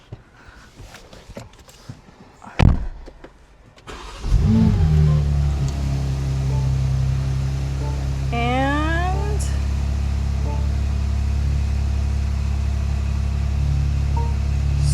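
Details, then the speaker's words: 2023 BMW G80 M3 S58, stock, 93 octane, about 11,000 miles, after spark plug replacement for rough idle with no misfire codes; starter cranks briefly, catches with quick flare, then steady even high cold idle, no stumble or miss. "And let me get my key so I can start up the car so we could hear how it idles. Hopefully it idles better than before, because it was quite rough."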